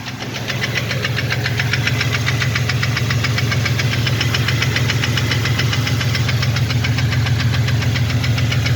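Hollow, regular knocking at about three and a half per second over a steady idle; piston slap from a broken skirt.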